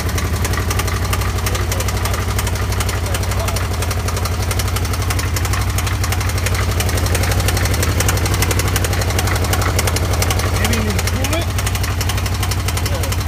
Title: Can am spyder loud engine knocking noise.. What could this be??